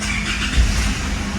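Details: Isuzu MU-7 with over 500,000 km, brought in for a no-start, after repair: engine catches quickly and settles to an even low rumble; noisy valve tapping suggests the timing chain needs replacing and the valves adjusting.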